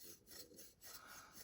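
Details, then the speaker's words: Curtis F3 titanium folding knife, about $600, with poorly made hardware; a faint, rough scratchy rasp in short sweeps as the blade swings, a gritty, poorly finished pivot bearing, unacceptable at this price. "That is because this shouldn't happen on a knife this expensive. Like, this is a $70 knife, and knife in that price range."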